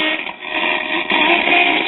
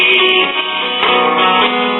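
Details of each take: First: 1939 GE tombstone tube radio at 120 volts, unrestored: harsh buzzy crackling audio with muffled lows from a severely damaged speaker; a leaky coupling capacitor also suspected, with 7–9 volts on the output tube control grid. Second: 1939 GE tombstone tube radio after lubricating the still slightly stiff tuning condenser: AM station plays clean with music, no hum, crackle or fading, typical thin AM tone; working normally.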